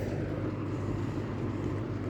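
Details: Late-1970s Kmart (Lakewood) K-223 20" box fan with a McMillan motor: steady hum with a faint loose buzzy chatter on top from the back grill rattling against the housing.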